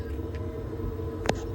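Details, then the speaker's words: Baxi Potterton Promax 28 Combi boiler running in heating mode after a new diverter valve motor replaced an overheating one: a steady low hum, with no loud noise in heating or hot water. "no noise great news let's try the hot water no noise again"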